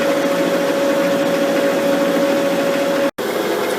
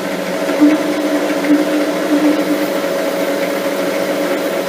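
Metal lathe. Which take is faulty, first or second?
second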